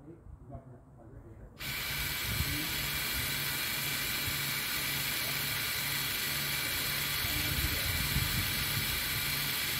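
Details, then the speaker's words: 2021 Toyota RAV4 AWD 2.5 rear brake job, putting the electronic parking brake into service mode: a steady electric whirr from the rear with a faint regular pulse as the EPB motor winds back. Normal retraction. "as you are doing this procedure you will hear in the back you'll hear the motor it will uh retract and or wind back the motor so make sure you're able to hear that"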